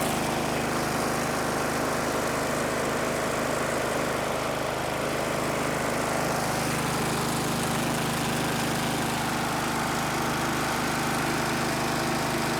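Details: Snapper riding mower, believed 1990s, running after fuel starvation from tank angle was fixed by repositioning the tank; steady even low hum, no knocks or surging; engine runs normally.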